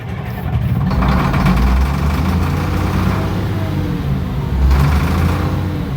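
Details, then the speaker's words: Case 2470 tractor being revived: loud, deep diesel clatter at a steady fast idle, around 1,500 then 1,200 rpm, firing evenly without stumbles; the engine runs normally. "Yeah. That's 1,500. 1,500. That's like 1,200. Oh, it sounds good."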